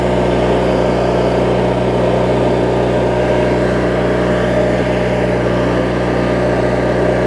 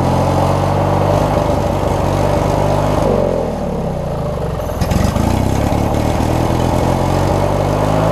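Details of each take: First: Craftsman riding mower, 19.5hp Briggs opposed twin, after governor, idle speed and carb cleaning (water, corrosion), hood on: even, steady low hum at low rpm, no misses, surges or knocks; normal smooth idle. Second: Craftsman riding mower, 19.5 hp Briggs opposed twin, after setting the governor and adjusting the governor spring: runs steady and fairly high, dips briefly mid-clip then climbs back; governed speed set a little fast, to be backed out.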